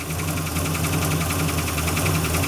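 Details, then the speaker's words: 1974 Dodge Monaco big-block V8, automatic, first start after sitting several years; rough idle with fast light top-end ticking quieting as oil comes up, plus a heavy misfire (suspected timing or spark plugs, not wires); valve covers may need checking. "You might have to pull the valve covers off and just check them."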